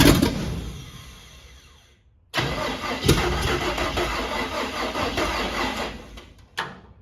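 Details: Cab-over van conversion engine cranking on a weakening battery with no firing; fuel pump not picking up or pumping fuel after carburetor was opened; owner suspects a clogged filter. Crank, no start.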